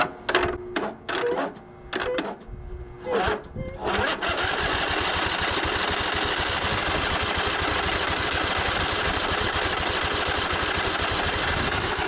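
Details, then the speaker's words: Husqvarna LGT2654 lawn tractor that sat a while, possibly bad fuel, jumped past a faulty key switch after tapping the carburetor: repeated cranking bursts then steady starter whir, never fires. Carburetor suspected. Cranks but will not start. "just not working all right so we're going to start here it looks like I'm going to do another carburetor job here on this lawnmower"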